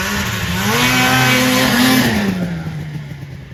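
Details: 1980 Yamaha Exciter snowmobile, revived after sitting 19 years, in the snowy yard: two-stroke revs up crisply, pulls steady under load, then eases off smoothly; normal healthy running.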